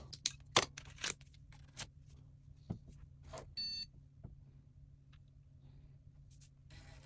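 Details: Shuttle HOT-433 motherboard under restoration with newly installed cache chips, powering up with a spare crusty floppy drive attached: handling clicks, then one short clean POST beep; board passed self-test.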